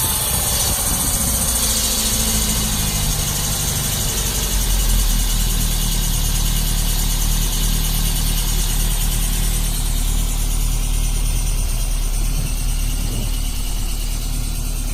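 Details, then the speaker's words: 1972 Lancia Fulvia V4 with original Solex carburetors, cold start after sitting in cold weather, not warmed up: engine fires and settles into a steady low idle, slightly fast on choke, no knocks or misses; healthy. "these cars have a choke on them the starts been sitting it's been pretty cold I didn't even warm it up so feel a little bit of choke to get started super nice and quiet"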